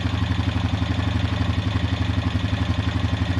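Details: Honda Rancher EFI (TRX420) after O2 sensor replacement for DTC 23, in neutral: even, steady single-cylinder thumping at constant idle with no surging or hunting; previously surged and revved erratically, no check engine light.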